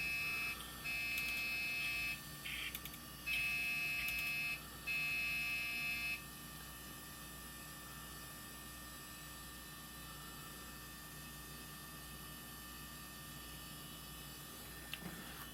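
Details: PC at power-on with an old IDE hard drive attached, possibly not plugged in fully; short high-pitched beeps in a few bursts over the first six seconds above a faint fan hum; startup fault, cause unconfirmed.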